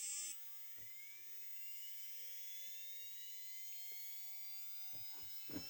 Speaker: Let's turn him on. Steering works. Yes, that works. And flywheel on. Yes, it works.